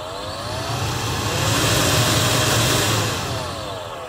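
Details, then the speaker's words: 2016 Honda CR-V climate control blower motor with a new cabin filter and no debris: whirring drone rising and falling through fan speeds with a dry rough edge; worn blower motor bearing, motor replaced. "to me this definitely sounds like a bearing of the motor on not some leaf or some debris rubbing on the blades of the fan"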